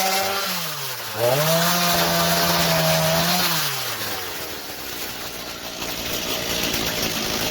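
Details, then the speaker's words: 2003 Stihl MS 290 Farm Boss 56.5cc two-stroke chainsaw, revived after cleaning clutch and air housing, cutting an old Christmas tree: screams up to speed, pitch drops smoothly biting wood, recovers cleanly; normal strong cutting under load. "So there you go. It works awesome. Stihl 290 series."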